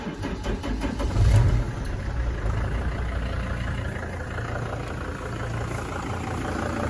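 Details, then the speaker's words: Van diesel after repairing a knock traced to cylinder two (bent, broken ring that scored the wall; cylinder honed, new rings, used piston, original bearings): catches and idles evenly with a steady clatter and no knock. It has since run great for about 50 miles. "I can live with that I've driven it about 50 miles and it runs great"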